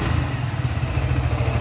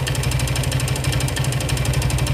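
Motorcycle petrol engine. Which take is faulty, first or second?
second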